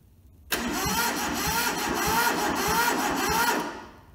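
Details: Toyota SDK4 skid steer diesel (rusted, seized, under restoration) on a temporary diesel tank, with starter solenoid jumped; even cranking for about three seconds that never catches or fires. Cranking no-start, before bleeding the injectors.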